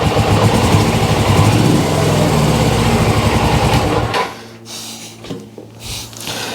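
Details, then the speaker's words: GS twin-carburetor engine; lumpy, faltering idle for about four seconds before cutting out, weak on the left cylinder; owner suspects fuel, may clear with running, otherwise carbs come off. "Yeah, it's just a bit weak on the left cylinder. It's more than likely fuel. Yeah, it's just not revving because obviously it's down on one cylinder a bit."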